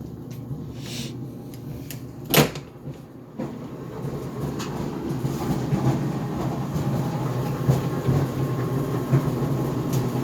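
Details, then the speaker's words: GE Profile Harmony dryer on the cooldown cycle of an 11-minute sneakers cycle without extended tumble: tumbling with a low rumble, one loud bang and a few softer irregular thumps; drum banging, cause unclear. "So this GE Profile Harmony dryer is making a banging noise. It is on the cooldown cycle right now, because I set the dryer time to 11 minutes without extended tumble."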